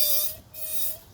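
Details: 2014 Honda Civic, rear wheel jacked up and turning: two clear, steady high-pitched squeals from the rear brake, much louder in reverse than forward, as the owner's sister reported; cause not yet found.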